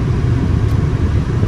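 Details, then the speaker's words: 2002 Volvo S80 2.9 automatic at idle, shifted from P to R: an even, low idle rumble with no thump or clunk on engagement; transmission engages cleanly. "nggak ada jeduk juga, masih aman, tidak ada jeduk sama sekali, dan kondisinya oke punya lah pokoknya nih."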